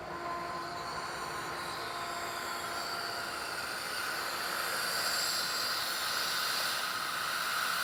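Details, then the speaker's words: Pool pump restarting after its filter was checked for a flow problem: hissing whine swelling over several seconds as the motor spools up, with the valve opened once it spools; a normal restart. "So now at this point, we just want to fire the system back up and then see if that fixed our flow issue. Again, we'll open this valve once we hear it start spooling up."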